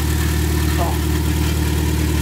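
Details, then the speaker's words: Ten-year project four-door car with RBC intake manifold; steady, even low idle with no knocks, misses or rattles and no leaks seen, a normal healthy idle. "Sounds good. Sounds good. I don't see any leaks down there."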